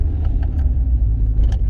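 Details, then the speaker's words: Rover 45 on short test drive over speed bumps: smooth, deep, even engine drone with no knocks or clonks; engine sounds sweet and healthy. "No clonk there. Listen to the engine. Engine sounds sweet."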